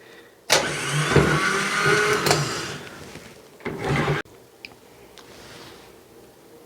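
Solenoid clack, then a loud high whirring spin lasting about three seconds before cutting off; starter spins freely on the bench.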